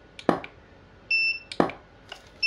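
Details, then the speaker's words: Godox SK400 studio flash after repair of an E3 error, recalibrated, tested at highest power: two sharp flash pops, each followed about a second later by a steady high recharge beep. Power restored, working normally. "Wow, udah luar biasa ya Om ya. Powernya kembali seperti semula."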